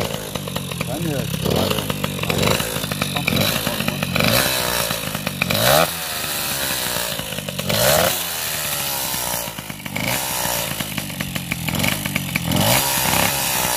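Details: Small two-stroke scooter engine after ignition troubles and top-end rebuild, with piston and head gasket: revving up and down crisp and buzzy with no knocking, running healthy.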